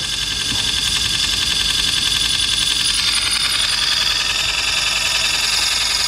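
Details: 1960s–70s Sony valve reel-to-reel tape recorder, sat unused, valves still warming up: steady high hiss and whir with faint fast flutter about three or four times a second; recurring tape drive noise, cause unclear.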